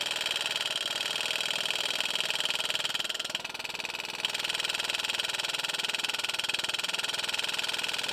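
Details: Lingenfelter NCC-001 two-stage progressive nitrous control center paired with an LNC-2000 timing-retard module, bench demo with no engine running: crisp, very even clicking at about four per second as the nitrous solenoids pulse normally.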